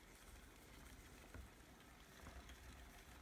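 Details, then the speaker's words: Spinolution King Bee spinning wheel, same previously clicking, tight-fitting bobbin after a home fix: soft, even whir with no clicking or rattle, much quieter; bobbin spinning normally. "I think I have fixed the clicky bobbin this is the same bobbin from the last video"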